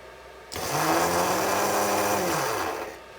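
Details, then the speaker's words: Motor from a Tamiya Thundershot RC car, removed and hotwired straight to a battery: steady even low whir for about two seconds, then smooth wind-down; motor is okay though it didn't seem to spin very fast. "That noise shows that she's okay. Didn't sound like it spun very fast."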